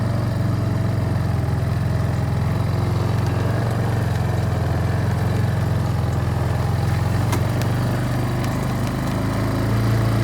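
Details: Barn-find Kawasaki Bayou 220 ATV on test drive after repairs (filthy carburetor cleaned, rear right wheel bearing and seal): steady even low drone, smooth unchanging beat, no knocks or rattles; running really good, no issues.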